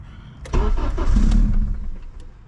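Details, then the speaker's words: AWD Honda started after a new fuel pump relay was installed; the fuel pump works. There is no idle air control valve, so the throttle is held. Brief crank, then it catches at once, flares and settles toward idle. Normal, clean start. "Let's see if we got some power going here. Yes, sir, we do. Fuel pump's working."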